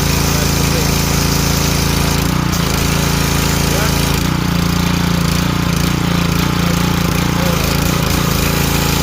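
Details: Ryobi 2900 PSI 2.5 GPM pressure washer after pump replacement, tested with water supply on: steady, even engine drone with constant pump beat, no knocks or surging; working perfectly.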